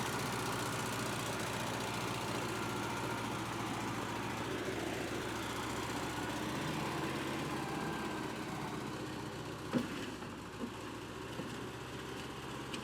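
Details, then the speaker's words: Cheap, hard-run Bobcat 610 skid steer with Wisconsin four-cylinder gas engine, said to crank every time and run good: quiet, even low idle with steady beat, no knocks or misses; normal idle. "it cranks up every time runs good no leaks"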